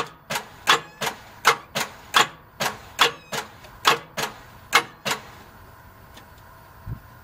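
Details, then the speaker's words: 1989 Jeep Grand Wagoneer 5.9 V8, sat outside almost 20 years, cranked on a new Duralast battery showing 12.4 volts: slow uneven clacks about two a second stopping after five seconds; starter dragging the engine over. "well starter is not happy with me uh trying to bump it so but i do have turn which is good"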